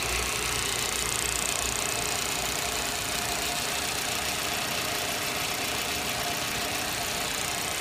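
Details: Audi 80 Cabrio 1.8 at steady idle with a hissy, busy top end and faint uneven ticking about three per second; the owner asks whether this is normal engine noise, and no clear fault is identified.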